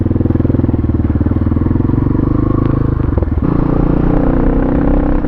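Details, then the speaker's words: Pitster Pro XTR250 (Chinese bike) first ride: the single-cylinder thumps steadily, then stumbles and goes flat about three seconds in under load. Bogging; owner suspects it needs carb work. "it does bog down i don't know why it's bogging down but yeah it's bogging down i'm gonna pull into this parking lot and look at it"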